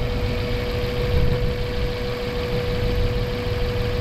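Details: Mazda 3 with a long-standing misfire despite new spark plugs, fuel filter and fuel pump: loud rough, uneven idle with a thin whine; one cylinder missing because a heat-cracked plastic ignition coil is leaking spark.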